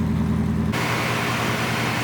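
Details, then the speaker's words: Porsche 928 big V8, restarted after a long lay-up (took 5–10 minutes of cranking to start), idles smoothly with a steady, even low rumble and no knocks or misses; normal smooth idle. "so there she is you can hear how smooth that is I mean it's a big engine a relatively noisy big engine um I think that sounds fantastic really nice"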